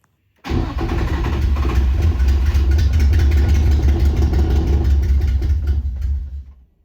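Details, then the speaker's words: Nissan 350Z that sat dead over two years, after an engine and transmission install and a newly connected ground strap: catches immediately, runs rough about six seconds, then stalls. Better than before but still starting and dying. "Okay, that's better than it was before. Still kind of starting and dying, but at least it started."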